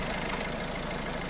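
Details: 1.6 HDi diesel engine, noise from timing chain side: idle with a loose metallic clatter that swells and fades; chain linking the two camshafts slack, tensioner suspected.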